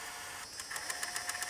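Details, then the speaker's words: Sony MiniDV camcorder with a Z-type tape mechanism; sharp light clicks about eight per second over a soft hiss while cueing the tape in reverse, and playback video is badly corrupted. The cause is a cracked nylon spindle table, fixed by replacing it. "That problem is a spindle table. It's cracked cuz it's nylon [ __ ] So, the only way to repair that is to replace uh the spindle table."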